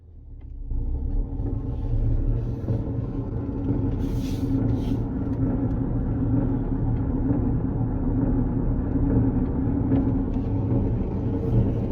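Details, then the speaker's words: Car being recovered: heavy low rumble with a rough grinding edge that holds steady while rolling forward but does not occur in reverse. Something underneath is suspected of rubbing or being loose; not confirmed. "Oh, that sounds so bad. It doesn't do it going in reverse. That's a bit weird. Just forward."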